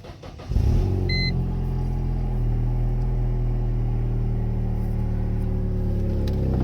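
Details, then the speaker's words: Mercedes SLK 230 after adding an extra muffler and steel wool in the rear muffler, idling: deep, loud booming rumble, too loud; owner suspects an exhaust leak, seemingly from the rear side. "but still this car X is very loud I think it is leaking from somewhere let's see"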